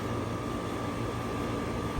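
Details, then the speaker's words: ACiQ whole-home system outdoor condenser, running: steady low hum and fan rush, about 56-57 dB; healthy. "All you can hear basically with this system is just the fan running. You can't even hear the compressor."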